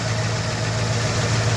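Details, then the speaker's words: 1967 Ford Mustang V8 at idle, started easily that morning, before carburetor and ignition timing work: even idle with a light, quick clacking tick riding on top, called typical and needing a small adjustment; light ticking at idle. "On entend un léger clac clac clac clac clac clac clac clac."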